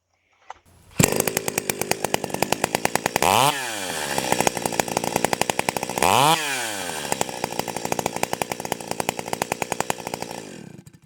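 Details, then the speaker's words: Stihl 028 AVEQ chainsaw, low-speed jet turned back out half a turn during tuning by ear: crisp, even two-stroke idle with quick clean revs on two throttle blips, clutch not engaging so the chain is still; good throttle response. "that okay I'm good with that that's uh it's not running the chain you know the clutch isn't engaging so the chain isn't running um it's got good throttle response right off of uh off of idal"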